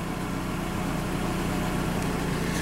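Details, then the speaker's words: 2006 Dodge after an oil change with codes cleared: steady, even low idle with a smooth rumble and no knocks or stumbles, running smoother than before, though an exhaust rattle is also noted; normal idle. "Hey, wow, it even sounds a little better already. Hey, it's amazing what it sounds like with good oil in it."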